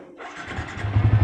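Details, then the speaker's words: Fuel-injected Yamaha Vixion with a newly installed alarm, in neutral: short quiet pause while the fuel pump primes, then the starter catches and the engine settles into an even, steady thump; normal start. "Nah, hidup panel full pompa, setelah selesai pompa baru mesin hidup."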